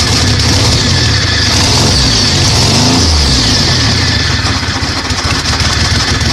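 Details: 1998 Dodge Dakota 3.9 V6, swapped engine that had no spark because the distributor didn't turn due to a broken camshaft gear, after repair: catches promptly, revs hard, then runs steady and even; normal start and idle.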